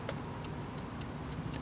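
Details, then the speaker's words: Porsche Boxster 986/996 horn circuit: pressing the horn button gives sharp single relay clicks about every third of a second but no horn tone; switch and relay work, both high and low horns have failed. "that's the relay clicking now in this case I've got a clicking relay so that means the switch works the relay works the horns are bad"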